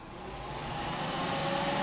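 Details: PC case front Silverstone Air Penetrator AP121 fan on a Scythe Kaze Master 2 fan controller: loud, steady rush of air swelling as it spins up to full speed, with a faint hum underneath; running normally.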